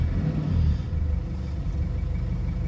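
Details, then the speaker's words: 2004 Mazda B2500 diesel after fitting a Synergy 4 tuning box, engine still a bit cool and running on 50/50 diesel and vegetable oil: low, even rumble with steady tick-over, no misses or knocks; normal idle. "steady tick over remembering it's still a little bit on the cool side this engine and it's also running on 50/50 diesel and vegetable oil"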